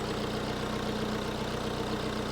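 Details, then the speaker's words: Wrecked 2015–2018 Audi A6 C7.5 diesel, first run after fitting a fuse, radiators suspected damaged with no coolant so run briefly: even diesel idle clatter, steady rhythm, no knocks or misses; running healthy. "3 2 1 and we've got a runner obviously I can't have this on for too long as you know I suspect the radiators have been damaged cuz it doesn't look like there's any fluid in there so far she sounds good"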